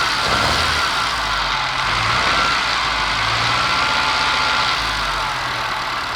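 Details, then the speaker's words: Test engine at idle: uneven exhaust beat about four pulses a second with occasional stumble, missing on one cylinder, briefly fires on all; compression excellent, no smoke, sparking seen; owner suspects sticky valve, unconfirmed; rough running. "Definitely missing on one cylinder. I've done a compression test and the compression was excellent, so that rules out a valve actually. Not blowing any smoke."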